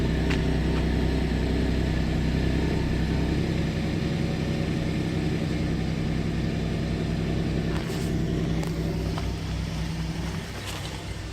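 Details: 2012 GMC Acadia 3.6L V6 at cold start idles with a deep, lumpy rumble that pulses unevenly. It has a random misfire that sets no code but makes the check-engine light blink during the misfire.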